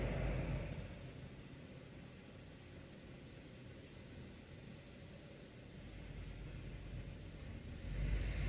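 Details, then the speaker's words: 2011 Subaru Outback 3.6 H6 with 5EAT automatic (not CVT), on a lift with wheels up after a fluid change, during a TCM shift-control relearn: quiet idle swells and sags repeatedly. Expected idle fluctuation during the relearn. "now it's doing the shift control system learning and you can hear the idle blipping up and down a little bit"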